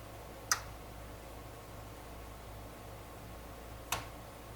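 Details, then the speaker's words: Pioneer SX-737 vintage stereo receiver after board rebuild, powered through a dim bulb tester: single sharp protection relay click on switch-on, bulb stays dark, no shorts, so powering up without fault. "our relay click, and our bulb didn't light up, so everything's fine for us to proceed to the next step."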